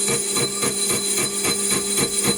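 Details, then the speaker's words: Stuart Models S50 flywheel casting on a lathe at 230 RPM, 10 thou cut before finishing the OD: a scraping pulse about four times a second in step with the spindle, over a steady whine, as the tool hits a hard spot in the casting. "Just trying to get rid of as much of that hard part as I can before I finish the OD."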